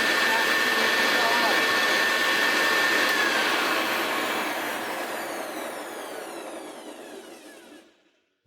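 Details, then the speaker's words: Restored Hoover Senior U4058 vacuum cleaner run with hood off after full strip-down and new bearing grease; smooth, even high motor whine that winds down cleanly with no rattles or grinding; healthy motor. "nice indeed. The new bearing grease that I put everywhere is working its way in."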